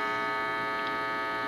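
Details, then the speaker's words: Heathkit T-4 tube signal tracer after replacing a paper capacitor: steady mains buzz, believed always present, with no crackling or popping left. Residual mains hum, no crackling. "that I don't hear the crackling now so that's what you know what I'm going by you hear the buzz I think that was always present"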